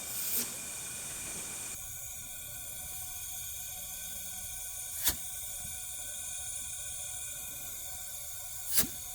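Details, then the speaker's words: Suzuki GSX-R750 leak-down test, cylinder at TDC on compression stroke: steady hiss of air escaping out the intake; intake valves not sealing, causing low compression and no start. "If I put my hand on the intake, hold it there. It's pressing by the uh intake valves."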